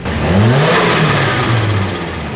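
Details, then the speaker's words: Nissan S13 with stock fuel pump: engine snaps up in revs, holds, then eases back smoothly with no knocks, misses or rattles; normal revving. "hey hell yeah that no blow found sounds pretty cool that sounds [ __ ] awesome this thing's going to Boogie dude"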